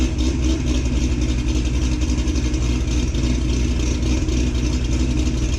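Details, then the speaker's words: 2006 Corvette Z06 V8, cold start before fitting a new cam and ported heads; loud, steady, even rumble at a high cold-start idle with no ticks or knocks; healthy engine warming up. "fire it up get a cold start sound clip of before and then we'll do one after we put back together with the new cam in the Portishead's let's go"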